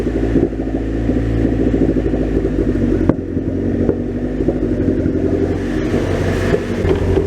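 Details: Honda Prelude after new head gaskets, exhaust refitted: uneven revving with sharp occasional pops and ragged wandering note; owner suspects a leaking top vacuum fitting leaning it out, unconfirmed.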